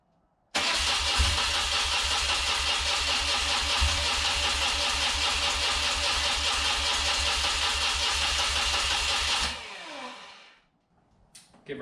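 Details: Rare carburetted twin motorcycle, first start attempt on choke, fuel on reserve, fuel filters fitted backwards: about nine seconds of steady cranking, no firing, then winds down; turns over fine but fuel-starved.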